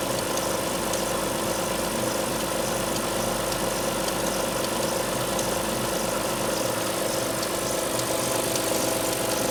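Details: Alfa Romeo 156 V6 in for timing belt replacement, cold start: busy idle with fast, uneven ticking about three per second; two distinct abnormal noises heard only when cold, not when warm, source unclear.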